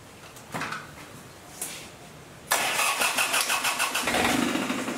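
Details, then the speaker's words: John Deere 400 tractor with a diesel engine swap, first start: the diesel catches after a couple of cranks and runs rough with an uneven knock about three times a second. The knock came from the shortened homemade driveshaft, not the engine. "also it was knocking pretty bad it wasn't the motor it was the drive shaft down here that i made since i shortened it"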